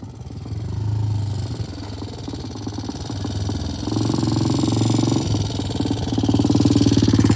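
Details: Vintage British T20M single-cylinder 200cc four-stroke race bike, which had been cold-started earlier, on a test ride with an even thump rising and falling with throttle and no knocks. It left and returned under its own power and runs fine.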